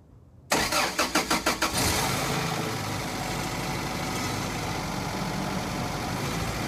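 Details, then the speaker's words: 1993 Toyota 22RE inline four-cylinder, timing chain replaced, cold start in freezing weather (already started once that day): six or seven cranking beats, fires and settles into smooth steady idle; running great. "it's got a 22 re 4cylinder engine it's in line we had to I got it for free had to replace the timing chain in it and the Sun is bad so we're going to do a cold start"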